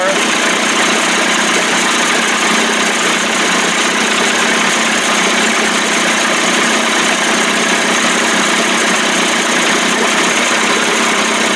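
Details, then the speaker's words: 1989 Johnson Tracker 25 hp outboard warming up on restart: steady buzzy two-stroke idle, even with no stumbles or knocks; old cracked p-tube leaking at connection; owner suspects fuel pump may not be drawing fuel. "[Music] the p-tube is leaking at the connection because it's old and cracked warming up pretty good sounds great"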